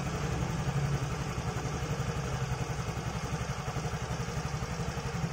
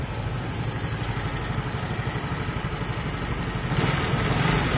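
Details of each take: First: Fairly new Yamaha motorcycle that was ticking loudly at idle, after valve clearance adjustment with a 0.10 feeler gauge set slightly loose (spec 0.10–0.12): steady, even putter at idle with no top-end tapping, so the valve tick is fixed. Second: Relatively new automatic scooter heard from the left side at idle: sharp, fast ticking, about three per second, rides steadily over the engine, a fairly loud valve tick; the cylinder head and valves are checked next and loose valve clearance is found.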